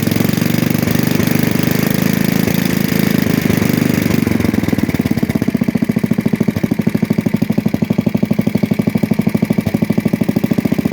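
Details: 1966 Custom 6 single-cylinder engine after reassembly with a new starter-generator bearing, pull-started: steady even putt, regular firing, no knocks; smoking expected from water in the bore and external oil.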